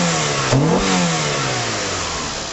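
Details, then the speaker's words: 2001 Mitsubishi Galant GLX SE 2.0 4G63 petrol, after new air filter and throttle body clean with carb cleaner: smooth pickup on throttle, revs fall cleanly to steady idle, no hunting, no smoke; healthy. "Accelerates, drops down, to idle, and doesn't hunt. All's good."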